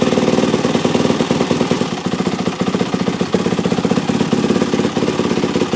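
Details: 2006 Yamaha YZ450F four-stroke single after a full engine rebuild (previous engine blew up catastrophically, possibly run low on oil): fast, crisp thumping at a high idle with no knock or rattle; rebuilt engine running healthy.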